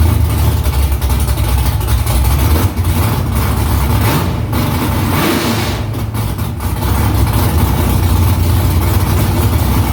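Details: V8 after new headers and exhaust refitted under the car, first start in about three weeks. Deep, loud, steady exhaust rumble with light throttle blips, smooth, no knocks or leaks; louder in-cabin with seat vibration. Smoke from drying header silicone. Normal idle.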